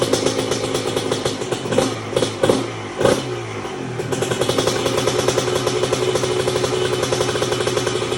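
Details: 1997 Honda CR125 two-stroke, first start after a new Vertex B piston, honed bore, new gaskets, seals and silencer: crisp ringing through quick blips and a steady high idle, clean and even, no knocking or rattles; healthy.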